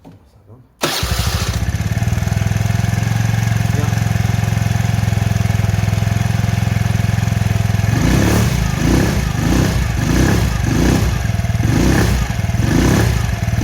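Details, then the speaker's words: Kymco Agility Renouvo Naked 50cc four-stroke Euro 4 scooter after a new complete variator kit, rollers, belt and an oil change; starts on the first try and settles into a steady, even idle with light blips. "Ça va, il démarre au quart de tour."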